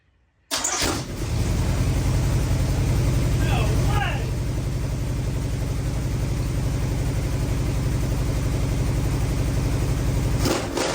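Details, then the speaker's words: Rat bus engine on its first start, running once the choke issue was fixed, with timing set by ear and cooling unfinished. It settles into a loud, fast, fairly even idle that stays high; the throttle needs backing off. "Holy crap. That sucker's loud. God dang. Oh man, I can't get over that. It's got to be a little hot. I know my throttle's a little high, so I got to back that off."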